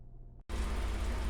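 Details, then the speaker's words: EG Civic hatch K-swap after installing a new Insane Shafts intermediate mid-shaft and CV axle: engine cranked and put in gear, rumbling steady and low with no clunks or grinding; normal drivetrain operation. "Now we're just gonna crank it up and see if we can actually put it into gear and get some rotations."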